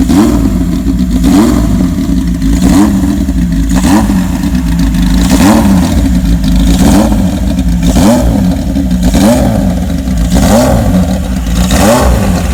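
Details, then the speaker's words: 1979 Kawasaki KZ1000 LTD four-cylinder in a 1974 Z1 chassis, long-stored, carbs cleaned, new plugs; revs rise and fall every 1.5 s, smooth even firing, no bottom-end knock; good runner but smokes, owner suspects worn or stuck rings. "I think I'm coming to the conclusion that it's a good runner bike"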